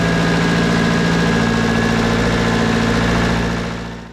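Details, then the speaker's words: Snowcat build with a fairly used turbo diesel, second start after its first fire-up: even idle with a steady low clatter for about three seconds, then a clean shutdown; runs well. "that really fired up without much problem uh I mean I can't ask for better than that runs pretty good smoke a little bit it is a fairly used motor so that's okay"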